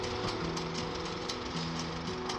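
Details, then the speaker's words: Unrestored, warmed-up Farmall M tractor idling with a light, fast metallic rattle from a rear hood panel vibrating because a Shepherd's hook is missing. "You hear that little rattling noise? It's because I still don't have one of the Shepherd's hooks for this back right side or the back left side anyway of the hood and vibrating just a hair."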